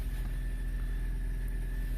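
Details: 2009 Ford Escape Hybrid after a no-crank/no-start repair and reconnecting a loose mass airflow sensor wire: steady low engine hum with an even idle and faint constant whine, state of charge 38%, pack 369 V; normal idle.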